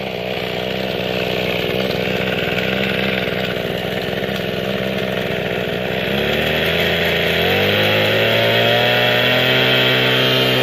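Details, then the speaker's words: Mikino/Vikino 768A two-stroke motor sprayer after replacing the faulty carburetor with a non-Japanese unit. High buzzy note runs steadily, then climbs cleanly in pitch around six seconds. Normal running. "đây thưa các bạn tôi nó thay bộ chế ta bơm xăng lên coi nó hoạt động ra sao"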